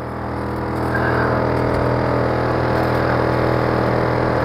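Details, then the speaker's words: 2004 Infiniti G35X, 230,419 miles, running in cabin: constant low buzzing hum holding pitch regardless of engine, traced to the automatic climate control blower fan. "oh that was a climate control that was the fan wow okay that's interesting"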